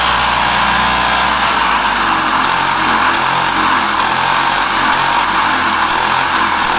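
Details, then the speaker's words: Two-stroke engine with oil injection and mixed fuel in the tank, after a new head and base gasket. Steady high-pitched buzzing, even and continuous without misses or knocks: normal running. "But let's fire it up so you guys can hear this thing run. Turn the key on. Press the pedal. Blammo."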